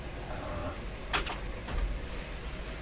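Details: 1929 Templetone radio speaker, microphone close up: thin, faint whistle climbs slowly in pitch over low hum, like distant birds; voice coil working without its cone connected.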